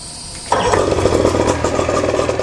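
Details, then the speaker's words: Boat outboard started on choke, run briefly with no cooling water and low on oil, so it smokes a little: quiet start, then it catches and settles into a steady, slightly rough idle with a busy midrange patter; running fine. "the key you just go ahead and crank it listen to the tone that means you're good to roll"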